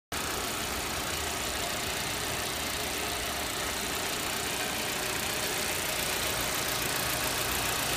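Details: Audi 80 Cabrio 1.8 at steady idle with a busy hissing, ticking clatter over it; the owner asks whether these are normal engine noises, and the cause is unknown.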